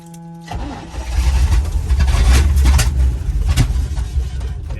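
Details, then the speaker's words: 1972 Chevy K10 4x4, 350 V8, sitting 20+ years: cranks and catches, revs rough and uneven under pumping throttle, never settles to idle and won't stay running; owner suspects fuel pump not pumping, getting worse. "Won't stay running. I don't understand why. My legs get tired from pumping."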